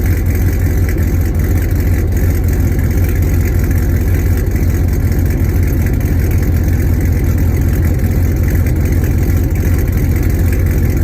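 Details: Hennessey Camaro V8 with long tube headers, start and light revs after a wash: deep, steady idle with a raspy, puffing edge on each beat from an exhaust leak on the passenger side just after the headers.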